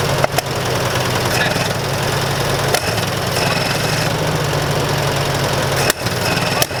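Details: Massey Ferguson 65 tractor, throttle up after carburetor work: engine runs unevenly with sudden stumbles and dropouts every second or few; rough running, carburetor flooding, needs more carb work.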